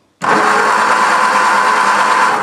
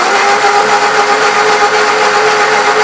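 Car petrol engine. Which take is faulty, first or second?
first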